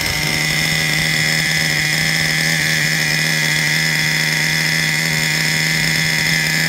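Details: Traxxas Revo 3.3 nitro engine: high-pitched steady buzz holding an even note, no misses or surging; engine healthy, though truck needs new transmission, spur gear with missing teeth, starter motor and one-way bearing.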